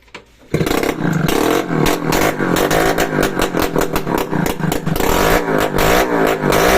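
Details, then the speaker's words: Restored Yamaha RS100 two-stroke started with no exhaust pipe fitted yet, so loud crackly ring-ding from the open port. Steady beat with no knocking; the engine itself is quiet and healthy. Full-wave charging shows 13–14 V. "Parang tahimik naman yung makina niya mga kamekaniko."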